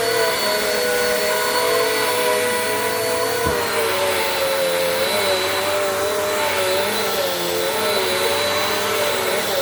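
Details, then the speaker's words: Bissell PowerForce Compact 2112 vacuum, 5.5 months old, running after repair: a steady high-pitched motor whine and even airflow rush with no rattle, grinding or speed hunting, sounding like new. "holy moly I don't think I've heard a vacuum sound that good in a while this thing literally took itself for a ride"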